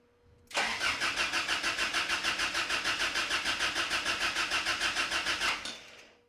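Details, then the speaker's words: Ram 50 with swapped Toyota 22RE engine, fuel pump relay bypassed via diagnostic port jumpers and pump now heard running. Steady starter cranking about 200 pulses a minute for five seconds, never firing: crank, no start, cause unconfirmed. "Yeah, I hear the fuel pump. It's pumping. [panting] [laughter] Still nothing."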